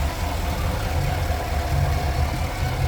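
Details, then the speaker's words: 2015 Cadillac Escalade 6.2L V8 with a newly installed zero-mile engine, code P0300 and a flashing check engine light: a lumpy idle with an irregular stumble as one cylinder drops out. Misfire traced to cylinder 8. "Entonces, aquí nos vamos a poder guiar aún más fácil. Cilindro 1, dos 3. El ocho. Mira, el ocho. Estamos fallando ahí. Cilindro número ocho."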